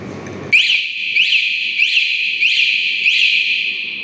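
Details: Bohante alarm fitted to a Honda Beat scooter; loud, clean high siren sweeping upward roughly every two-thirds of a second, steady throughout, alarm sounding properly when armed.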